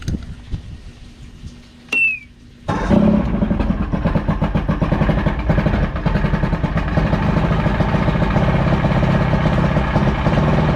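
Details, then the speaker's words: Evinrude V4 crossflow outboard (88–115 hp) after replacing the cam follower roller, timing about 6–7° BTDC: brief starter whirr, then a cold, choppy, uneven idle that should turn crisp once warm or with the warm-up lever. "That it's actually a little cold right now because you hear that idle's choppy, that choppy idle. That's how you can tell it's a little bit cold right now."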